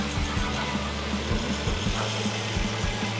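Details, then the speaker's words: Mercedes GLE 400, intercooler coolant system bled with scan-tool-activated pump: steady even idle, smooth low rumble, no ticks or knocks under music; running nice. "there is running nice"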